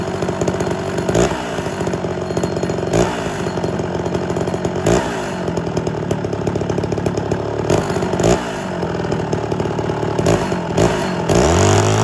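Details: Homelite Super XL chainsaw with a rebuilt Tillotson carburetor, high-speed screw being tuned for max rpm. It screams at high revs with speed dipping and recovering every second or two. The surge's cause is suspected but not confirmed.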